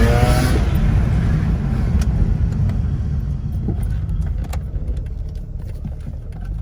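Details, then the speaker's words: Mazda RX-8 with bridgeported rotary on stock ECU: a brief rev falls back to a steady low idle that holds without dipping or stalling; after the idle fix, where previously the idle dropped. "can see before without the fix it would just the idle would just drop right there but now now it stays right where it's supposed to be"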